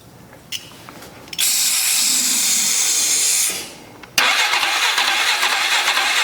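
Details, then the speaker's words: 2003 Polaris 500 H.O. ATV that sprays oil into the airbox, cranked without fresh gas (bad gas smelled). Loud cranking bursts with hissing spray and brief catches that never pick up; oil is in the breather hose; cranks but does not start. "almost starting up though. Wish I had some gas. I didn't think to get none."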